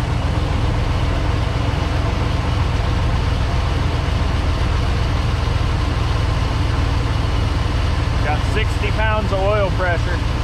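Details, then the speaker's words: Squatted truck project, first start in about eight months, alternator charging unknown; deep, steady idle rumble with fairly even beat of roughly three to four pulses a second, sounds like a giant fan; normal idle. "pressure hmm this thing sounds like a giant fan"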